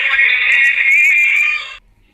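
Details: Imitation National/Panasonic pocket radio after fitting a replacement speaker: clear, loud music plays without rattle, buzz or crackle, then cuts off cleanly; the speaker sounds healthy.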